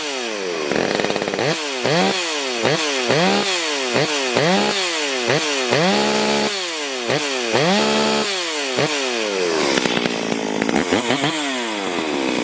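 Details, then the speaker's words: Stihl MS440 chainsaw cutting wide oak in a log splitter, before port work; screams high and bogs repeatedly, pitch sagging and recovering; running lean and down on power, maybe carb issue or air leak as owner suggested. "All right, that might explain the jets on the car, but if we out quite a ways, that's a kind of maybe issues with the carb or air leak as the owner may have suggested."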